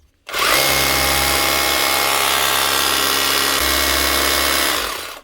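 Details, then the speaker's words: Bosch GBH 36 VF-LI Plus 36 V SDS hammer drill, few months old, after warranty motor replacement for power loss and overheating: spins up quickly to smooth steady high whine, no grinding or stutter; normal running. "That's the job, running like she should."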